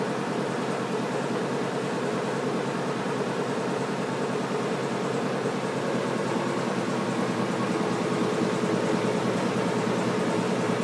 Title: Washing machine making noise